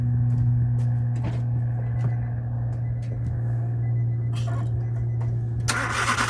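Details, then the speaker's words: Nissan Micra at idle, squeal traced to the A/C compressor clutch, not the belt, alternator or tensioner; bearing temporarily oiled: steady low drone with a faint dry whir from the front, bearing still gone, new clutch needed. Worn A/C compressor clutch bearing. "Alright, it's just a temporary fix because I've managed to get some oil in there just to lubricate it, but you can hear the bearing's gone on it."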